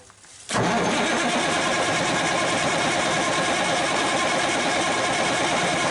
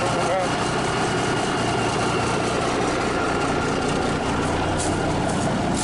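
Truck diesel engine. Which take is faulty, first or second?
first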